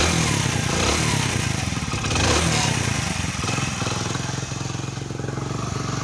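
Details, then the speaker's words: Hero Honda Splendor Plus single-cylinder motorcycle at idle: light fast ticking rattle over the engine beat from loose valve tappets needing clearance setting; tappet noise before valve adjustment. "तो दोस्तों इसमें टेपेट का औजार है मैं आपको सुनाता हूं एक से एक"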